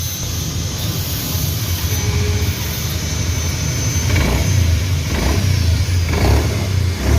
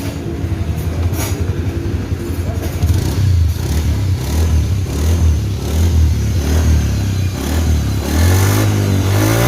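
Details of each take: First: Honda Beat FI scooter, CVT not opened in 4 years: faint thin whine rising over the engine with throttle blips; noise gone after replacing the crankshaft seal. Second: Honda Beat FI scooter after CVT overhaul, with crankshaft seal, bearing, shaft, pulley, engine oil and gear oil replaced, first opening in 4 years: pulls up smoothly through the revs with a clean, even drone and no whine; normal CVT operation.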